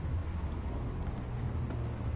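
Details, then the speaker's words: Maspion standing fan after converting the motor to full bearings, fitted with a Miyako blade, on speed 1, the fastest. Low, even hum with steady airflow rush, no rattle or grind; smooth, healthy running. "Speed 1 ini paling kenceng ya teman-teman. Halus banget suaranya. Tuh. Full bearing."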